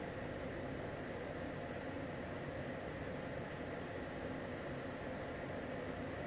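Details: LG portable air conditioner with the compressor at maximum and the fan on F3 maximum, about 59 dB measured: a quiet, steady airy rush with a soft low hum and no rattles. This is normal operation at maximum.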